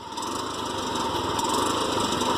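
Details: TVS King: bad engine noise, a raspy, hollow hissing roar over a steady small-engine idle from an intake air leak at the air filter hose; fixed by replacing the hose.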